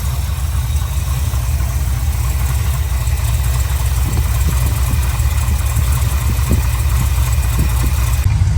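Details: 1984 Chevy one-ton wrecker V8 after the worst header leak was fixed: deep, steady idle with a faint, irregular puffing tick over the rumble; no longer leaking at the header pipes, the remaining exhaust leak is down at the collector.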